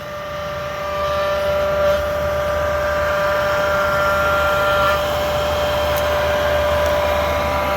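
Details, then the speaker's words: Chinese diesel air/park heater with its fan motor bearings going bad. Steady loud drone with a clear high whirring tone on top, speed unchanging; worn blower motor bearings that need replacing. "this is what it sounds like when a diesel heater's bearings are going out on it"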